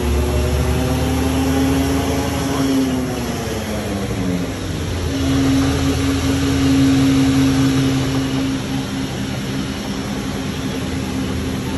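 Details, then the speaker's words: RAM truck on the road at an alignment shop: steady low drone from the rear end that rises and fades with road speed over road noise. Rear axle binding noise, with a tight shaft and bearing being checked. "yeah yeah say that again and it's coming from the rear end that's what we hear going on"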